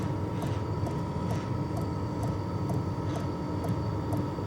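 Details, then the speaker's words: Sunster TB10 diesel heater on level two, microphone right next to it: steady fan hum with a light, even tick about twice a second, normal fuel pump ticking. "you can kind of hear the ticking sound but this being 3 4T away from you outside you're not going to hear that at all"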